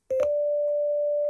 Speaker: you can hear that that's a very pure sine wave